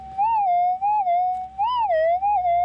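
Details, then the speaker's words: Minelab GPX 5000 metal detector: a loud warbling tone near 800 Hz swells and dips as the coil passes, a strong, clean response from a small target. "but you can hear we've got a really quite a loud little target here"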